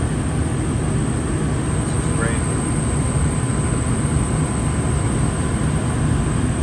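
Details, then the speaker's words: New Fasco replacement draft induction blower (119256-00 / ICP 1014341 JA) on a gas furnace, spinning freely after the noisy old motor was replaced; steady soft whooshing hum, no ticking or wobble: normal running. "see how the motor is spinning right in there super silent it will be silent basically this is spinning freely does that the whole time smooth very nice motor"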